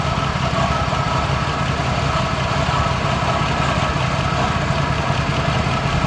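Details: 1973 Holden HQ one-tonner with a four-speed manual, off the road since 1996 and sitting nearly 30 years, first run: a steady low idle with a slightly uneven, lumpy beat and no clear knock; it runs poorly and sounds rough.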